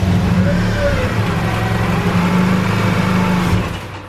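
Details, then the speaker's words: K-series engine after throttle body and throttle cable tension adjustment: low even rumble at steady idle about 850–900 rpm, down from about 2500 rpm before; though it chokes out when throttle is touched. "all right the idle's a lot better it's at around 850 900 something like that so it's below 1000 rpm where before it was idling in like 2500 rpm"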